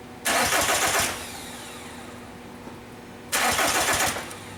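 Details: 2002 VW Jetta 1.9L TDI (ALH): two short starter bursts and the engine never fires, a crank no-start. A test light shows the fuel cutoff solenoid is not getting 12 volts with the key on.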